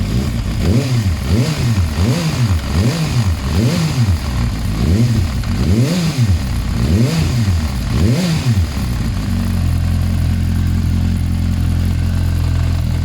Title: Bruit moteur